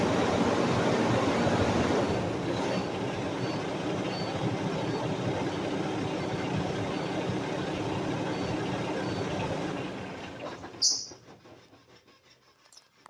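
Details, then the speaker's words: Cummins ISX15 CM2350 diesel in a Prostar, started after injector sleeve rings were installed: steady, even idle with no knock or miss, sounding healthy. "oh that sounds so much better than a Detroit"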